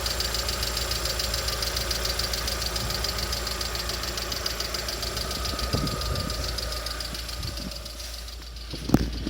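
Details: Lada Vesta SW Cross, 106 hp 1.6 engine: steady quick light knocking over the idle, even beat throughout; internal engine knock, source not yet pinned.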